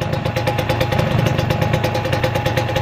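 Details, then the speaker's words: Kawasaki Ninja 150 two-stroke at fast, even idle with a sharp puffing chuff on each beat, about nine a second; exhaust leak, side-oil (oli samping) hose had been leaking and oil now pre-mixed in fuel. "akhir-akhir ini knalpot bocor ya geng kita fokus dengerin suara mesinnya"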